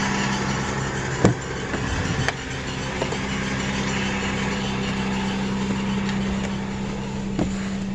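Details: Toyota Tacoma on cold start idling with sharp irregular knock/rattle and a faint squeak; it goes away at normal operating temperature and changes when the clutch pedal is pressed and released.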